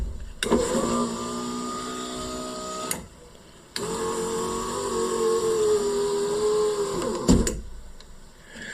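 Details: Renault Twingo 1 Initiale, after fitting a used window regulator mechanism, ignition on: two smooth, steady motor hums of a few seconds each with a clean stop at each end of travel; window works normally.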